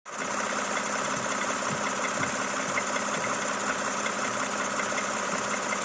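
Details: Toyota Camry XV70 3.5L V6, 30,000 km: even idle with a light, fairly quick tapping knock over the running note; engine knock, cause not pinned down.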